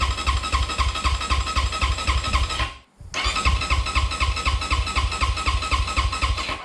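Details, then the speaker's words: 2020 SSR SR300 dirt bike, cold start after sitting a month, newly fitted Lectron carburettor, choke on then off: two bursts of cranking about four pulses a second with no firing; no spark, plug lead disconnected at the coil. "i went ahead and checked the spark and there is none so as you can see there was no arc or spark here on the spark plug"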